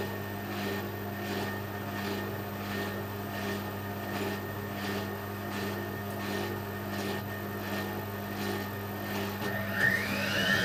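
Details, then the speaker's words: Bendix compact 7159 washing machine, spin selected while drain pump stays permanently on; even motor hum with soft swish about 1.5 times a second, drum picking up at the end: normal spin cycle. "if i select a spin it will work of course but just spin put drain pumps on all the time i'll just quickly show you the spin"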